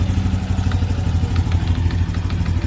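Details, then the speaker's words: Honda Nova Biz 125 ES, 984 km: steady low idle with an irregular crackly rattle each cycle inside the engine, present every time it starts. Internal engine clatter, cause unclear. "Aí, galera, esse barulho não é normal. Toda vez que liga a moto, ela fica essa estraladeira dentro do motor."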